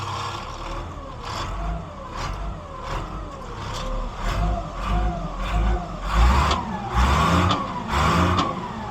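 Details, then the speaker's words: 1978 Ford A64 wheel loader just bought, engine check: revs climb and fall through several throttle blips, pulling cleanly with no knock or miss; full oil pressure shown, engine sounds healthy. "Engine sounds good. It says that we've got all the oil pressure."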